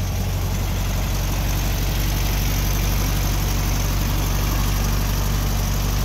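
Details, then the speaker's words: 1964 VW Beetle, 40 hp, 64K original miles, cold start in the morning: steady, even low putter with a quick regular beat, no knocks or misses; electric choke kicks down as the engine warms; normal cold fast idle. "you can hear the choke kick down right there everything just kicks off the electric choke operates like butter kicks on cold in the morning just like it should kicks down just like it should as the engine warms up"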